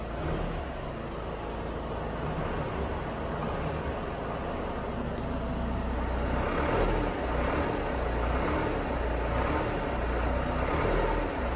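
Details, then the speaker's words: 2018 VW T6 Transporter 2.0 diesel, 44,000 miles, fumes entering cabin at standstill: idling and lightly revved with a faint puffing chuff under the rumble as revs rise. Exhaust leak traced to a cracked EGR pipe at the back of the engine. "and it does appear to be a bit of an exhaust leak so um i'll open the bonnet and we'll see what we can find"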